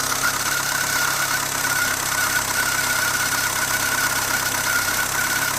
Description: My lovely Renault Twingo 1.2 with D7F engine, 1999, makes strange squeaking sound when engine is cold.